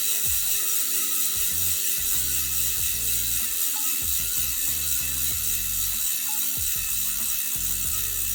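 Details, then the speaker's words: Hope 20Five-RS4 centre-lock rear wheel, new out of the box, spun with no tyre fitted: rapid, even, crisp metallic freehub ratchet clicking while coasting; owner thinks it sounds good, normal freehub buzz. "so yeah i don't think that sounds too bad um i always think we'll sound worse when they don't have a tyre on it sort of a metallic sound to it"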